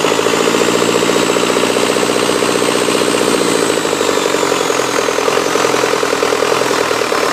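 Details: 2006 Cummins 4.5B diesel just after rebuild: steady, even idle clatter with no misses, knocks or speed hunting; normal healthy idle.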